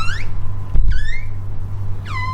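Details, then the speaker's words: 2011 Mitsubishi ASX front passenger door swinging: three sharp whistling squeaks with a dull thud between, dry hinges. "sound is squeaking from the outside to the inside."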